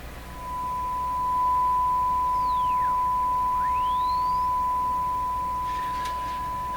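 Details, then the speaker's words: Hallicrafters TW2000 shortwave radio, signal strength turned up tenfold and tuning through with a lot of tuning backlash: a whistle sweeps down to near silence and rises again over a steady tone. The heterodyne beat marks the center of tuning. "well that that heterodyne really marks the center of the tuning very ver"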